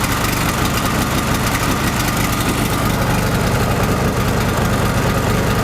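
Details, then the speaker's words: Chinese petrol generator converted to propane, petrol tap closed and residual carb fuel burned off: steady even low thrum, no misses or surging, idling smoothly on gas. "the rotors to stabilize, here it is already running on gas, so show the tap closed, the tap is closed"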